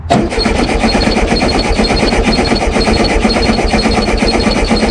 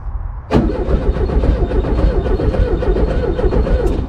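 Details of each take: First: Abandoned 1974 VW Super Beetle, voltage confirmed at coil: steady cranking about two chugs a second for seven seconds, never fires, no spark seen; owner suspects dirty points or bad coil. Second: Abandoned 1974 VW Super Beetle, starter jumped with jumper wire in neutral: sharp click then engine spins over fast and even with strong low chug; starter and its wire good, corroded relay connections suspected upstream.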